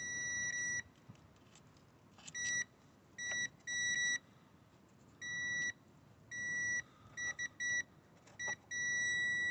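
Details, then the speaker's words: VW Golf with a no-crank no-start, ignition on: a tester probed on the fuse box power supplies gives short bursts of a steady high beep at each touch; every circuit tested is live and no fuses are blown. "Make sure they're working. So let's have a look. Yep. So the beep is indicating that it's working."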